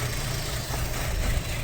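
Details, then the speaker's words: Cold start on a 2.0 ALT Audi A4 B6, below 50°C: rough, shaking idle with low, uneven thumping knocks, running like a diesel. Owner suspects the camshaft phaser or possibly the lambda sensor; cause not confirmed. "И он так, получается, дизелит. Как дизель работает. Вот сейчас я вот... Как будто чем-то захлепывается."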